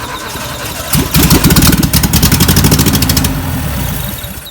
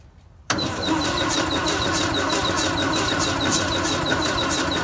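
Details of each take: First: 1958 VW panel bus, sitting for 50 years, after the no-spark problems were fixed: the engine catches after about a second, then holds a steady air-cooled putter before fading out; it fires and runs properly. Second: 1958 VW panel bus, sitting for 50 years, with a new starter fitted: steady starter churn about four beats a second for seven seconds, never catching, then it stops; it cranks but won't fire because there is no spark.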